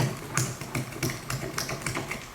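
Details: Steering assist valve on a 1964 Ford Galaxie, rocked by hand during a rebuild: irregular light clicks and clunks, possibly from play at its internal ball joint. The unit is loose and was leaking; looseness suspected as the cause of breakage.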